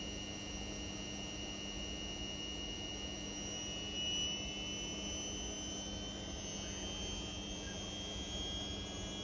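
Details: Indesit Innex XWSC61252 washing machine, brought in for not draining, on spin test after repair: smooth steady high whir at constant speed, no knocking or grinding; speed dipped noticeably when the high-speed motor coil engaged, cause unknown; sounds healthy.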